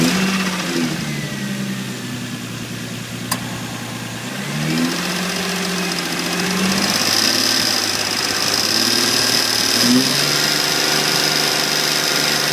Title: Revving with ticking sound